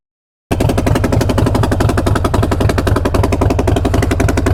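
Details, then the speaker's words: Harley-Davidson riding with both front-cylinder exhaust nuts missing: loud, sharp, rapid popping on every exhaust pulse, worst accelerating hard, a raw chuffing from the loose front exhaust joint; exhaust leak. "that definitely sounds like there's an exhaust leak going on i'm going to check that i was wondering why it was popping so much every time i would accelerate hard and i think the reason why is that i have an exhaust leak"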